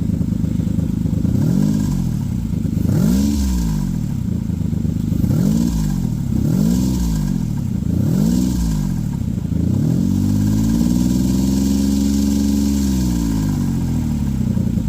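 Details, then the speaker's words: Petrol V6 with a P0300 random misfire and a rear-bank lean code, blipped repeatedly: a loose metallic rattle inside the engine as the revs swing. Owner suspects lifter tick from infrequent oil changes or another fault; cause unconfirmed. "I got seriously distracted by the racket coming from inside the engine here which could have been the notorious lifter tick that these engines have if you don't change the oil often enough or it could have been related to something else I found later in this video hopefully you can hear it rattling around"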